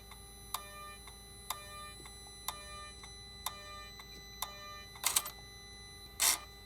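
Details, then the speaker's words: 2008 Mercedes R320 3.0L with intermittent power loss and a charge-pressure-too-high code: the Y77/1 turbo charge pressure actuator, cycled with a scan tool, gives sharp ringing clicks about once a second plus harsher rattles. The actuator is sticking. "I don't know if you can hear the click guys I don't like the clicking sound that this actuator is making"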